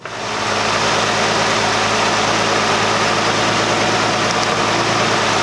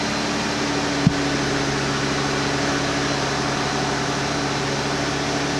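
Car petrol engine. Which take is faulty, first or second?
first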